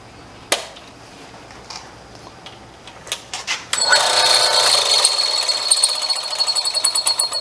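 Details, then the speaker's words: Hollow chisel mortiser, 1/4 inch bit being set up inside the chisel; steady high whir with a light, even tick and no screaming, so the bit runs clear without rubbing or heating: normal. "and actually that sounds pretty good that little ticking that's not enough but if it was screaming right there you would feel this right here"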